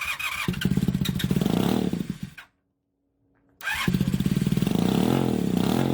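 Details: 1980 Honda CM400E twin, first start after 2.5 years and top-end rebuild (new rocker arms, camshaft, valves, seals, rebuilt carbs): runs unevenly with skipped firings at idle; owner suspects incorrectly torqued head bolts, also an oil leak.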